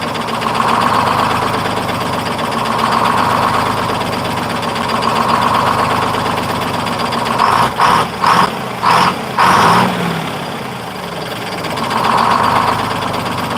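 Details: 1948 GMC Silversides PD3751 Greyhound bus, Detroit 6-71 two-stroke diesel after in-frame rebuild: deep, even drone at idle, then sharp throttle blips that pick up and drop back cleanly; good response, normal idle and revving.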